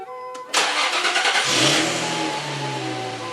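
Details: Infiniti FX35 with a history of struggling to start, right after new spark plugs: engine cranks briefly, catches at once and settles into a steady idle over background music; starts normally.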